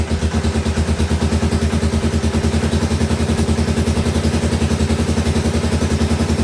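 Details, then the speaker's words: 1985 Suzuki DR600 barn find on its first startup after restoration: steady, slightly uneven single-cylinder thump at about 3.5 beats a second; it bogs and dies on slight throttle. The owner suspects fuel starvation and may adjust the throttle needle or main jet. "But as you can hear, as soon as I give it some gas, it bogs down and dies, even just with a slight twist of the throttle. So, it's likely not getting enough fuel."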